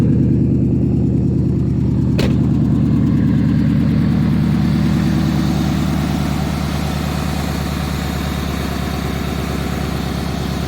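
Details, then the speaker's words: After reinstalling a sensor that had been fitted backwards during exhaust replacement, engine that previously dropped toward zero and stalled now holds a steady, even idle, settling slightly lower and running smoothly without stumbles; cat also suspected earlier. "it doesn't sound good sounds much better now yeah I think that was one of the problems besides the cat"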